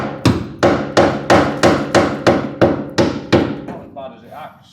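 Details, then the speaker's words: Hammer tap test on a rusty Esarco 8x8 (Land Rover based) chassis rail after hollow-sounding sections: nine sharp taps ringing clear and solid, so sound metal remains to weld to. "Yeah, it sounds like there is something there still to weld to."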